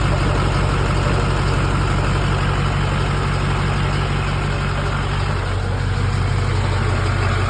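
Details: LB7 Duramax diesel with hard start: loud clatter at idle with an uneven beat of about three pulses a second. Rough idle, cause not identified.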